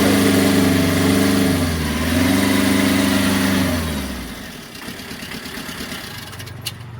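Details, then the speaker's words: Tata Ace diesel after fixing a loose water pump (new bolts, pump tightened; old timing belt refitted) that caused a rattling noise: steady, even idle with no knocks or rattles for four seconds, then winds down; healthy. "பக்காவா இருக்கு. அந்த நாய்கள் எல்லாம் மாறிடுச்சு."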